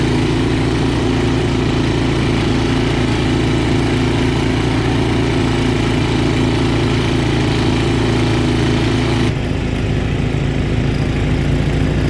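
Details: Snow blower that stalled in wet snow, after main jet cleaned with a clipped wire: small single-cylinder engine holds a steady, even drone with no surging, hunting or stalling; normal running.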